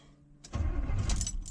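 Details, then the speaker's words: 1972 Chevrolet Impala cranking after rocker arm work, unstarted since Sunday, throttle untouched: brief even starter churning with no firing; no spark because coil wire was left disconnected, fix is to reconnect it. "Oh, hey, you know what? That sound right there tells me one thing. My coil wire's not back in the coil. I forgot to do that."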